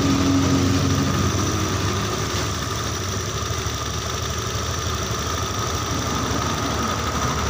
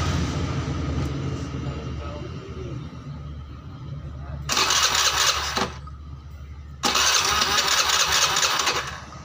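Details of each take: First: Honda Beat injection after engine overhaul (bored to oversize 50), idle adjusted by screw at about 2 turns out: steady, even low idle with soft regular putter, settling lower without hunting; normal idle. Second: Honda Beat injection scooter just rebuilt (new crank bearing, rebored to 50 oversize) on first start before scanning: fast, busy idle with loud hissing bursts, rear wheel spinning too fast; idle too high though the idle screw is set about 3 turns.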